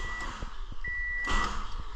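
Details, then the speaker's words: 2005 Toyota Matrix 1.8L manual after replacing bad relays in a no-crank no-start: a few slow cranking thumps under a steady dash chime, then the engine catches and fires; normal start. "it's a good sound wow there you go folks yeah third time's a charm"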